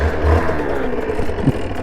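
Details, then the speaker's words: 1993 Yamaha Mate 50 50cc two-stroke step-through, kickstarted with a barely-there kick: light, buzzy engine catches at once and settles into an even, steady idle; normal, clean-running idle. "Turn it on, get the kickstart out, and I'm going to barely kick it and away she goes. So that's how simple it is, and simple and easy."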